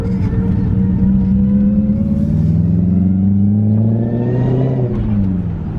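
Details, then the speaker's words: BMW E34 540 with ZF 5-speed manual, run with no fluid, after transmission job: clear whine rising and falling with road speed like straight-cut gears, stethoscope places it inside the gearbox; clutch resurfaced dual mass; manual transmission gear whine. "the car drives good uh it shifts good but it's embarrassing dude like you can't even drive it around like a neighborhood all you hear is just wine it sounds like it has like straight cut gears"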